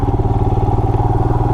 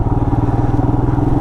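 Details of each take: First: 2020 Royal Enfield Himalayan single-cylinder, ridden off road, mic inside the helmet; steady thump with a light, even tick on each beat that the owner doesn't normally hear; after an oil change, owner suspects valves need rechecking; ticking noise. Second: 2020 Royal Enfield Himalayan single-cylinder at about 460 miles, ridden off road on forest fire roads, mic inside the helmet; even, deep thump of about seventeen beats a second with no ticking or clatter, sound becoming more throaty; valves checked and needed no adjustment; normal running.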